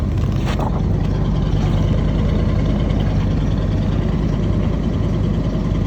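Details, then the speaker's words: 1976 Chevy 454 big-block V8 idling after a cold start at about -28°C (feels mid -30s), battery charged, block heater plugged in 1.5 hours, ~3-year-old fuel; deep, steady even rumble, no knocks or ticks; slight exhaust leak near muffler; healthy cold idle. "You know, you you you plug in a big block, have a reasonably warm battery charged up, and even in the minus30s, a 1976 big block can roar to life."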